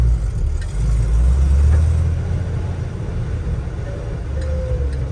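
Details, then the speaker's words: 1981 Jeep CJ-7 Laredo 4x4 with a 4-speed and just under 42,000 miles, crawling in a parking lot just after shifting from 2-high into 4-high. A low engine rumble carries the faint, normal hum of the transfer case. "You can hear the transfer case humming a little bit like it should."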